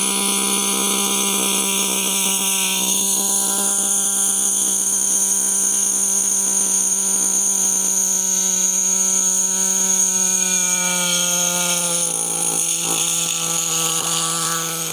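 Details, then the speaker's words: Nitro RC monster truck (HPI Savage) after leaning the low-speed needle: shrill high-revving buzz holds, then pitch shifts and wavers; owner suspects a partial blockage in a carburetor jet was dislodged, not a lean condition. "I reckon you got a bit of a blockage in one of those jets and we've just dislodged it a little bit."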